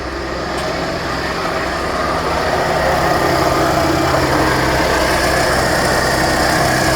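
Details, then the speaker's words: 2010 Chevrolet Traverse, sat about a year, starter replaced, running again after a no-start: idles under a loud, harsh, constant mechanical drone tracking idle speed, from a failing A/C compressor. "doesn't sound happy so I'm going to cut it off so so she is running but she does not sound happy"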